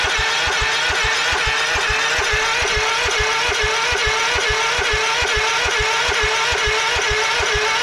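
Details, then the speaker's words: Cold 1989 Craftsman mower engine on choke, cranked with a jump pack: a steady fast cranking chug that never fires because the fuel shutoff valve was closed, starving it of fuel. "ah look at that right there knew something wasn't right fuel shut off was on or was off"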